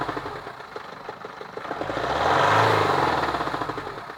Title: Knocking sound......